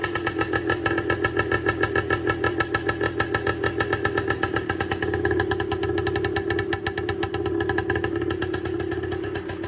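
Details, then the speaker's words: 1984 air-cooled 250R three-wheeler two-stroke, rebuilt about two months ago, started in neutral indoors: steady, even popping idle without stumbling, a little smoky; healthy idle. "She does run. I don't want to run it too much, just for the sake of being able to breathe in here."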